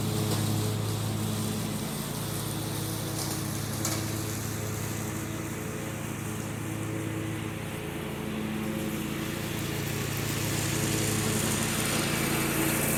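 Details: John Deere 345 with Kawasaki FD611V at about 490 hours, after revival repairs and a fuel filter change. Steady, even drone holding pitch while mowing, no knocks or misses; runs smooth and uses no oil.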